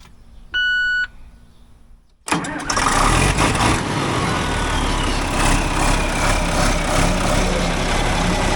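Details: Tractor diesel after O-ring replacement, oil topped off, run to check for leaks: short chime, then cranks, catches at once and settles into a steady, even run; healthy start.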